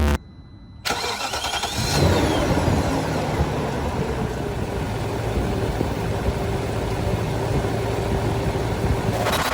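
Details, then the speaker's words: BMW E39 540 V8 after re-tightening loose spark plugs on the front-right bank that had caused knocking: starter cranks, engine catches and settles into a smooth, even idle, knocking gone. "so i re-tighten them noise is gone car is running like"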